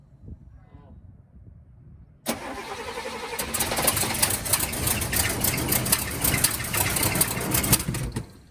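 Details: 1971 Cadillac Coupe DeVille that sat 15 years in a backyard, first start attempt on starter fluid with 5–6 gallons of fresh 91-octane fuel (tank had white sediment): cranks, catches, runs ragged, won't hold idle and dies; owner suspects fuel starvation.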